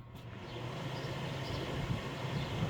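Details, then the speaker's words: 1998 Whirlpool 10,000 BTU window air conditioner on high fan only, drawing about 1.15 amps: a steady, even rushing hum and low drone with no rattle or squeal. It is a powerful fan running smoothly. "And like I said, I can feel the air coming out of this thing. I can feel it way back here. This thing has a very powerful fan on it."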